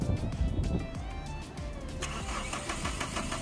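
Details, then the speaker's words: Mahindra Scorpio diesel with fault codes P0193, P061B and P062B; it cranks, catches, then runs rough and uneven and won't hold idle, stalling after starting. "यह आप देखो यह जैसे start हुई start होने के बाद यह बंद पड़ जा"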